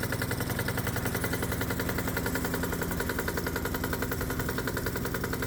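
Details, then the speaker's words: Hot-bulb semi-diesel conversion of a low-compression gasoline lawnmower engine, warmed up and stack torch-heated, running on 100% diesel with the spark plug disconnected: a steady thumping beat of about 214 per minute that labours under light load; rough running on diesel due to low compression. "So oddly enough, running on 100% diesel fuel with the spark plug disconnected, this low compression gasoline engine has a tough time with light loads."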